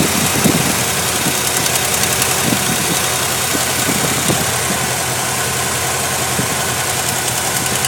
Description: Lt1 with erratic tick